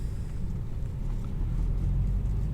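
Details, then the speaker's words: BMW E60 diesel with recurring DPF clogging, after EGR valve adaptation/adjustment: deep even rumble, no longer stumbling; runs quite smooth. "all right so and that's quite smooth"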